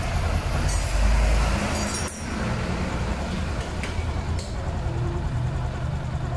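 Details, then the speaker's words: Automatic scooter after replacing the worn bamboo (CVT) bearing: engine runs steady and smooth with the rough grinding from the belt drive gone; normal running after repair. "Ah teman-teman bisa dengarkan dan suaranya sudah hilang dan aman kembali seperti semula gadis ya"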